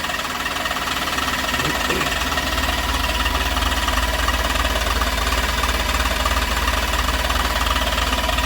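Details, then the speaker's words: Maruti Suzuki Super Carry two-cylinder diesel after engine rebuild, new clutch and gear oil, injectors bled: steady idle with even clatter at constant level, no knocks or rattles; running smoothly. "വാഹനം നല്ല smooth ആയിട്ട് run ചെയ്യുന്നു കേട്ടോ"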